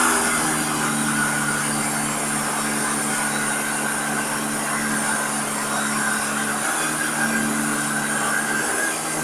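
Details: Vacuum cleaner motor: low droning hum and steady whirring roar like a car engine, rotational vibration; owner suspects the ball bearing in the rotating ring is stuck or has too much friction, maybe from dust. Unconfirmed.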